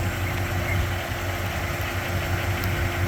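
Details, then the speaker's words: 1989 Jeep Grand Wagoneer, freshly rebuilt V8 with Holley 2300 EFI fuel injection: soft, quiet burble with even beat and no tapping or knocking. Normal idle. "quiet. And it's such a beautiful day here in West Palm Beach, Florida."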